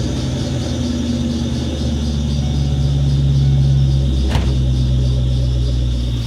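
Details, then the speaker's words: 1997 Ford Mustang GT V8 just fitted with SLP Loudmouth exhaust, BBK X-pipe and K&N cold air intake, on first start: deep lumpy cold idle with loud intake suction and a thin steady squeak from the belt tensioner pulley. "Well, you can really hear it sucking air now. You can also hear that squeaky tensioner pulley."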